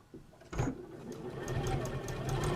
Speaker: I need to change my needle, guys. Remind me to change my needle. Not tonight, but for tomorrow. Because it's very clunky. Very clunky. You perhaps can't hear it, but I can.